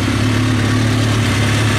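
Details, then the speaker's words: 2003 Kawasaki ZX6R warm at idle, fan kicking on: smooth, even low hum with no slap or rattle, no smoke; only a small coolant reservoir leak; good motor. "so yeah the fan kicks on when it should small coolant leak from the reservoir and it's not smoking so i think we got a good motor here sounds good"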